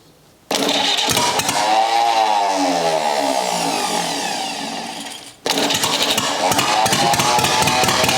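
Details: Rebuilt U23 engine, first start after 25 years, choke up, idle mixture screw set to about two turns out: catches and runs unevenly with wavering pitch, dies and restarts; carburetor not yet supplying enough fuel at idle.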